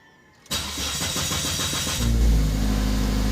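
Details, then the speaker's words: Ford Focus with long cranking, fuel pump suspected as one cause: starter churns about four beats a second for over a second before the engine catches and settles; hard starting, possibly from a weak fuel pump. "ito yung long cranking no long cranking ang tawag dito so tignan natin no"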